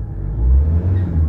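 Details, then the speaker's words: Ford Ranger 3.2 diesel after an XADO engine treatment for low power and vibration, blipped from about 1,000 rpm: a deep rumble that climbs quickly with the pedal and settles smoothly. The engine responds cleanly and normally. "Ayan oh. Kita mo 'yung galit? 1,000. Ayan oh. Mm. Kita mo yung ah response ng engine guys?"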